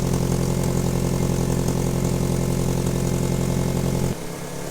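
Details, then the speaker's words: Ford Focus RS Mk1 with Garrett GT28 turbo, sat about 4 years: uneven, lumpy idle stumbling near four per second with a puffing blow from a blown exhaust manifold; also inlet leaks, won't rev under load. Misfire with exhaust manifold leak. "so it's hard to hear at the minute but there's an inlet leak down the back here somewhere as well so we're going to get the inlet off go over everything get the gaskets off get that exhaust manifold off really bad blow you can hear at the minute"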